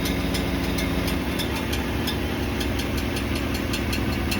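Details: 2026 Ford F-150 Coyote V8 at idle: light metallic ticks, roughly three a second, over a smooth idle. Owner says the torque converter bolts slap the divider plate when towing a 1500 lb boat or parked on a hill; not confirmed.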